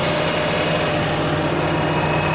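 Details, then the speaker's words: Coronado motorhome generator after installing replacement eBay control board and reconnecting the starter solenoid unhooked during bypass mode: steady even drone and constant hum, no misses or knocks; generator fixed, running normally. "Generator's fixed."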